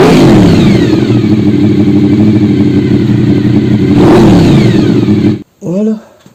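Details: Honda VFR RC36-2, charging circuit checked at the battery: starter spins, engine catches and settles into a steady even beat with one clean rev, no knocks; battery charges immediately, healthy.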